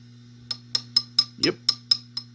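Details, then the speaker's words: Vox AC15 tube amp, tap test on the preamp 12AX7 under the cover: each tap rings out as a glassy ping over the hum, a microphonic preamp tube. The tubes were later swapped for ECC83s. "I mean it is making intermittent noises I don't know if the phone's picking that up or not oh we've got microphonic"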